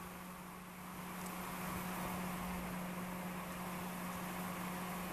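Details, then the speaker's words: Spire 120mm case fan on a bench test alongside a Xilence 120mm blue LED fan: steady low hum and loud airy rush, louder than its rated 21 dB and louder than a 24 dB CPU fan. "but that's a pretty noisy fan it's supposed to run I think at um 21 DB I'll just check the back of the box yeah they're supposed to run at 21 DB but I think that's a bit loud for 21 DB"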